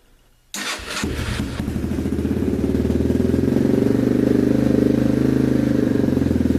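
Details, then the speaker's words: 2015 Yamaha TTR 230 after full exhaust, 14T sprocket, airbox, carb rejet (#130 main, #38 pilot) and headlight: fires first try and settles into a steady, even idle on choke; healthy cold start, running great. "now the chok's completely off bike's running great sounds good looks cool has a headlight"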